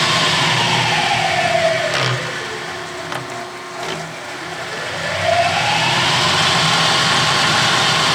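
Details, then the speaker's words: Clausing horizontal mill feed gearbox after oiling, shifted through positions A, C, the neutral between C and B, and B: the whine falls and rises with light clicks and no clash; normal. "I'm going to turn it on now and just proof it to make sure that this works properly"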